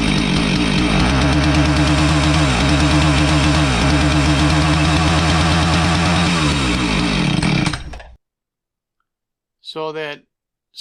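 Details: Husqvarna 450 chainsaw that starts but won't rev: high-revving scream that sags and stumbles every couple of seconds, then dies, missing and bogging under throttle. Spark tester reading was erratic; owner suspects ignition and is going to try a different ignition module.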